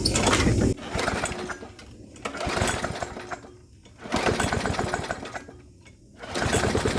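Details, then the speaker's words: Brute lawnmower with Briggs & Stratton Classic engine, dirty; it fires raggedly, rising and sagging every couple of seconds without reaching full speed, surging and not spooling up; carburetor suspected at first but not the cause. "It almost seems like it doesn't want to spool up, like it's kind of firing, but it's not really spooling up."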